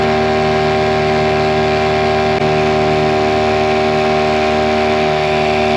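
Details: Mercury 9.9 hp two-stroke short-shaft outboard, believed early 90s, after years sitting, with an upgraded carb and spark plugs. Lake test at full throttle under load gives an even, unbroken high-revving buzz with no misses or stalling; normal full-throttle running.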